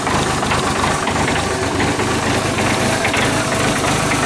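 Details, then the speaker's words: John Deere diesel tractor (2032R or 110 TLB) left outside overnight in bitter winter cold; after two glow cycles it starts and settles into a steady, even idle clatter with no misfire or hunting, normal cold idle. "it's amazing actually I see now this is right outside in the direct cold how much heat is leaking through that wall and keeping this thing warm enough to start a lot better than it did right there that's fantastic"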